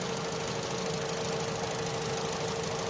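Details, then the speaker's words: Opel/Vauxhall Astra J 1.4 after new spark plug and ignition coil for a cylinder 1 misfire: smooth, even idle with steady hum, no stumble or miss; scanner shows misfire counts now zero on all four cylinders. "Ăsta e history și a avut, dar acuma e zero. 0 la 2, 0 la 3 și la 4."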